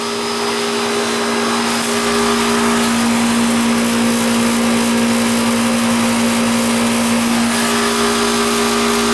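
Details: AC outdoor condenser unit after replacing a bad capacitor: steady, even hum with a constant tone and the fan rushing behind it; compressor and fan now running normally.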